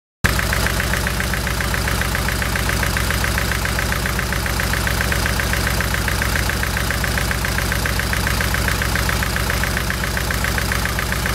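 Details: VVC petrol engine: idles with uneven lumpy beat, misfire stumbling through; owner can't find misfire cause.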